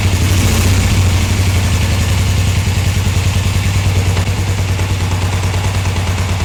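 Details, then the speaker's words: 1981 Suzuki GS450L twin after replacing Mikuni carburetor slide diaphragms, in cold weather, idling: steady even low burble with no misses, knocks or hunting; idles cleanly. "It sounds good."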